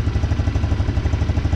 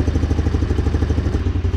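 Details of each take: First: 150cc GY6 four-wheeler just after a new carburetor install, idle a bit high and being set with the idle air control. Steady, even putter with no misses or rattles: normal idle. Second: 150cc GY6 four-wheeler just fitted with a new carburetor: fast, even single-cylinder putter noticeably quicker than a normal tickover; idle set too high, adjusted at the idle/air screw.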